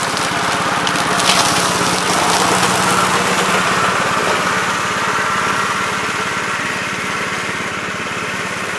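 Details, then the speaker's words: 1969 Gravely C8 tractor, morning run after no-high-range repair: single cylinder chugging at a steady, even beat, no misfires or knocking. Runs healthy. "so so seems like it's working and running pretty good guys so uh i think we got this one licked"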